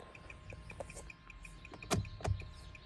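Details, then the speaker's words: Turn signal hyperflash heard inside the cabin: faint, quick, even clicking at about five per second under cabin noise after the left turn signal lamp went out, while the right flashes normally. "And then if we take it inside the vehicle, see how it's flashing really quick, and I don't know if you could hear it."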